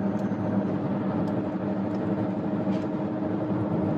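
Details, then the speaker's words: 2013 BMW 328i xDrive F30 while driving through corners: steady low hum and drone, louder on hard left turns and quieter on right turns, started after fast twisty driving; fixed by replacing a worn rear wheel bearing. "this noise has been driving me wild and I think it's the tires but maybe not if I turn hard left the noise gets a little worse and if I turn hard right the noise goes away"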